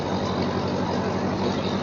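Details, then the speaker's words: Ferguson TO-35 (Massey-Harris-Ferguson) four-cylinder tractor after distributor replacement and fuel fixes, idling: steady, even putter with no misses or surging; sounds pretty good and runs healthy. "But regardless, we got her running, and we'll fire her up. Sounds pretty good."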